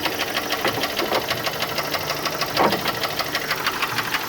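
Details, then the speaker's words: PT Cruiser at idle: steady light knocking about two per second over the engine note, with a misfire also present. The owner suspects a bottom-end knock, possibly from the misfiring cylinder; the cause is unconfirmed. "okay at miss Farr along with that knock that sound like a bottom in Arad not Becca very well be the cylinder in question"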